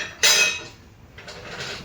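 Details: Subaru with a loose exhaust heat shield, being struck under the car: sharp, tinny metal clank then lighter jingles; fixed with a band clamp (hose clamp).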